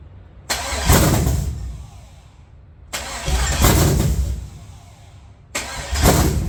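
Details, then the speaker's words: LS 5.7 V8 in a G-body El Camino on a budget Amazon Gen 3 harness: three bursts of steady cranking, the engine never fires; crank no start because the injector ground on the back of the engine was never connected. "I don't have the ground for the injectors grounded on the back of the motor. I neglected to do that."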